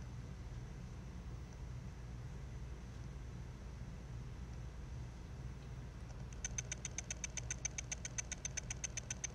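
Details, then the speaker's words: Mac mini's dying hard drive: faint hum, then rapid regular ticking about four per second as the damaged read heads sweep back and forth failing to find the track; head crash. "and then you'll hear some ticking sounds and those sounds i'm pretty sure are caused by the read head moving back and forth looking to see if it can find the track that is trying to read"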